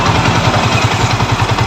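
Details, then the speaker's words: Yamaha Vixion at idle after repair, valve clearances set to 0.7 and 0.10 so it runs smooth (stock clearance sounds rough on a long-used, slightly loose engine): steady, smooth single-cylinder thump at idle with no top-end tapping; valves sound right. "Oke ini sudah kembali normal telan kelb saya ambil 0,7 dan 0 10 jadi bunyinya halus"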